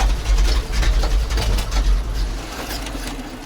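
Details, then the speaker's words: ZIL crane truck engine after 20 years standing seized: lumpy uneven low idle, irregular puffs about twice a second, fading; half the cylinders dead, plugs to be replaced; then backfired and stalled. "Ну, к сожалению, нормально он не работает. Половина цилиндров отсупонились. Ну и хорошей работы явно сейчас не дождаться от него."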